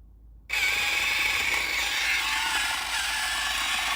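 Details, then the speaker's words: Toy tank's cheap plastic gear train, with motors rated 9/12 V running on a 3.7 V LiPo: a loud, buzzy high-pitched whirr with constant chattering rattle from each plastic gearbox. "um wow it's really loud um these it's it's too plastic right it's um each one of these things rattles heaps you want to hear how loud it is"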